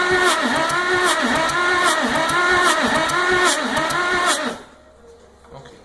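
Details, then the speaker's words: 1961 Willys Jeep pickup 6-226 engine cranking after carb rebuild and ignition work confirming spark: starter turns fast and even, about four swings a second, no compression strokes or firing; stuck valves, later freed and lapped. "So, as you just saw in the last clip, there were a number of stuck valves, and like Johnny mentioned, we got them unstuck, we lubricated them, we lapped them, and that was after attempting to start it after the carb rebuild"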